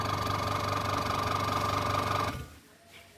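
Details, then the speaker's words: Aqua washing machine motor, after tapping it to get it turning: steady hum with regular chatter about four beats a second, then dies away; weak running; suspected weak capacitor, broken capacitor wire or worn bushing. "kalau untuk dinamo bunyi dengung Itu penyebabnya banyak ya bisa kapasitor lepak apa lemah bisa kapasitor lemah"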